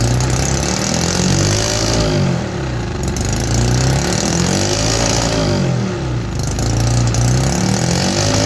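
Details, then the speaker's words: Homemade 3D-printed 125cc two-stroke engine running on starter fluid with carburetor removed: uneven surging buzz rising and sagging without steady revs; engine nearly out of compression. "I'm not sure if the camera can actually capture that, but the engine is almost out of compression."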